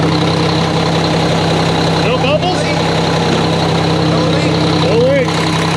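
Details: Mack truck diesel idling after engine reassembly with new parts: steady, even idle with a constant low drone and no knocks or misses; sounds good, no leaks seen; normal idle.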